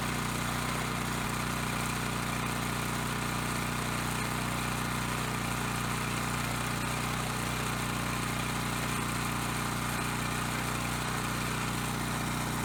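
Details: Coleman Powermate Pulse 1850 generator, surged when last run over a year ago, now after carb cleaning and new fuel lines, fuel filter and clean spark arrestor. Air box and front cover off for pilot jet adjustment. Small single-cylinder engine idles steadily, even drone, no stumbling or surging.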